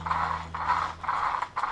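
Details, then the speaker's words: Traxxas Slash 4x4 after fitting a larger high-speed pinion, gears let to roll themselves apart: light, even rolling whir in short bursts, no binding or grinding; pinion-to-spur mesh ideally at its optimum setting. "So ideally that should be, in theory, the best place to be, the optimum place for that to be."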